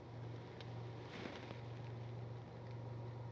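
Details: Car with an engine vibration problem, after the fix; idling in neutral with the AC off. Very quiet, even low hum with no knocks, shakes or surges; smooth, steady idle.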